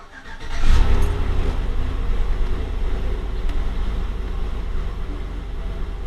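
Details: Chevrolet Tahoe/GMC Yukon after fixing P0455 EVAP gross leak code, new EVAP part fitted: engine cranks, fires quickly and settles into a smooth, steady low idle with no knocks or misses; healthy start, check engine light gone.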